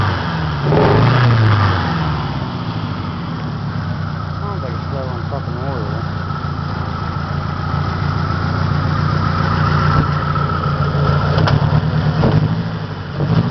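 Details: 1993 Saturn SW2 in park, no check engine light, low on power: rough uneven idle with a loping stumble every few beats, pulses unevenly spaced; misfire, cause not pinned down.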